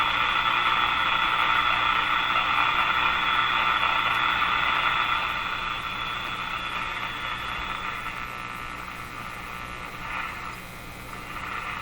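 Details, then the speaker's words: Moffat (Crosley) G2465 five-tube AM radio at its first power-up in rough condition, tuned to what is probably 590: a steady hum with hiss and crackle over a weak station that fades; hum, static and poor reception. "again it's humming and buzzing a bit and the reception is p"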